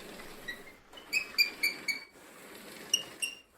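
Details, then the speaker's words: Shark AZ3002 vacuum after 9 months of use: quiet, scattered high-pitched chirps and squeaks in short bursts as it rolls; the wheels squeak, cause unknown, with no effect on performance. "First thing that I don't like about this vacuum is after 9 months, the wheels have started to make a little bit of a squeaking noise, which you can probably hear here."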